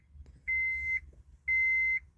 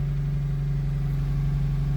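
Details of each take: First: 2003 Honda CR-V with power but no start for a couple of days: two warning chimes, then about three seconds of steady, rhythmic cranking that never catches; crank no start from failed fuel pump relay. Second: 2003 Honda CR-V (2nd gen) that cranked but wouldn't start or started then died, after replacing the fuel pump relay: starts right up and idles smooth and even, no knocks, ticks or stumbles; normal idle.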